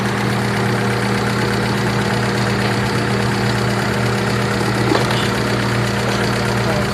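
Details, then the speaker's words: Hyundai Atoz engine after a 5-hour XADO engine treatment for heavy blow-by: an even, steady idle hum with no misses or knocking, and no smoke at the dipstick. Idle is now normal. "yan o yun normal na lang yan siya guys bater yan eh normal talaga yan siya"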